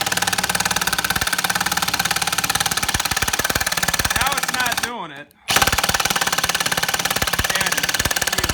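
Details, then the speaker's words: Stealth Force Gen5x impact driver driving a 3-inch lag screw with no pre-drilling: fast rough hammering around three per second with a harsh buzz, briefly cutting out, not its normal sound; straining and overloaded. "I'm definitely stressing the hell out of this motor here, because that's not the normal sound for this thing."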